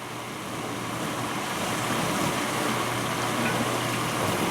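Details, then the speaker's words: 1991 GE Potscrubber dishwasher on its first wash with a loaded rack: a steady water rush, a faint low motor hum and light, intermittent clatter of dishes shifting. Normal dish rattle during wash. "hey you also hear dishes uh in there a little bit i'm sure that's perfectly normal"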